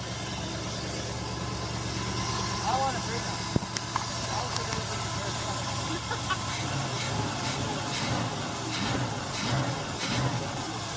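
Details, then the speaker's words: 1964 Pontiac Parisienne V8 during cam break-in, after swapping the faulty Quadrajet for a checked rebuilt carburetor: steady, even idle with low burble, no stumbles or misses; healthy, much better than old carburetor. "now that sounds healthy much better than an old turkey carburetor that was on there"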